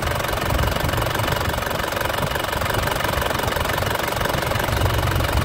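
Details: 2004 Panther LS (Black Panther) diesel, about 160,000 km, still hot: even idle clatter at about four evenly spaced beats a second, no odd knock. No smoke, and the oil cap is being checked. A healthy idle.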